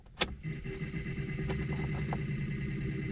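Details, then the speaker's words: Fiat Qubo heater blower motor at full fan speed, no-heat fault: steady whir with faint irregular scratchy ticks; owner suspects the motor swallowed something or a worn bearing, and plans removal; unconfirmed. "je sais pas si c'est possible qu'il est avalé un truc ou aussi simplement le roulement est est de ou quoi dedans donc il faudrait que je le dépose"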